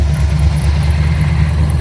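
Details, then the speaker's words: Carbureted engine after replacing QFT carb with Edelbrock 1405 and manual choke, tuned to 14 degrees timing: smooth, even steady idle at 1,000 RPM, no backfiring or misses, warm after an hour idling; normal idle. "we have a nice solid 1,000 RPM idle. No backfiring through the exhaust. No weirdness. All smoothness."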